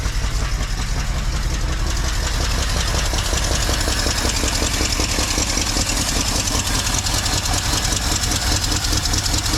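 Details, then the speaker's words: 1964 Mercury with 390 FE big block V8: idles with an uneven, lumpy beat and irregular exhaust stumbles, sounds like a miss; cause still unknown. "so the engine was running a little rough uh felt like it had a Miss yesterday um not quite liking how it's running"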